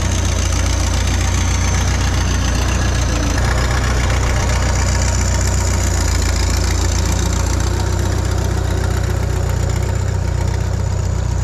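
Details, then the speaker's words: Bobcat 883 skid steer with a freshly installed remanufactured Deutz diesel: an even, deep diesel clatter holding steady speed with no misses or knocks, running solid and smooth; the boom cylinders are suspected of bypassing internally. "So, I don't know if you could see in that last clip, sounds pretty solid, fresh motor."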